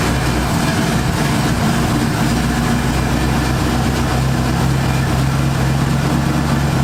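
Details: 1978 Ford Fairmont Futura inline six after GT40P head swap, Holley two-barrel carburetor, just started: steady, even low idle with a constant hum and no misses, ticks or knocks; running right.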